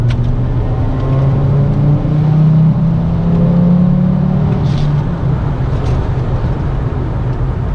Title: S6 Turbo whine